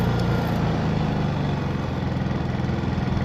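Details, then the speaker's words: Honda EU3000iS inverter generator after carburetor replacement for stalling when throttle was pushed in (fuel starvation from gunked carb): hums along at a steady, even speed with no hunting or stalling; running properly. "We're just going to let that bad boy run for about 15 20 minutes. And uh ladies and gentlemen, that's how you uh you fix a problem with your carburetor."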